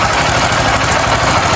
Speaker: tá quer dizer que tem um barulho terrível terrível rapaz ninguém acha problema